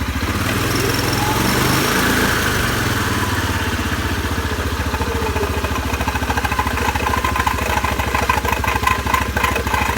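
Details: CFMoto 500 2A quad after riding in water, at low revs. Rough, uneven pulsing rides over the engine beat and seems to come from the variator (CVT), cause not known: abnormal CVT noise.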